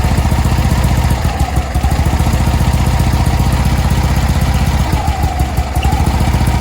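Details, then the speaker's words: 1965 VW Beetle with Pertronix electronic ignition: low idle stumbles with uneven, lumpy firing that misses and hiccups; Pertronix failing again despite an earlier clamp fix, owner swapping back to the old ignition. Stumbling idle, cause suspected. "I didn't want to be uh that guy whose car was stumbling at idle everywhere I went and I just pulled it out and put in Old Reliable because here's what the patronix started doing right before I wanted to drive to this show"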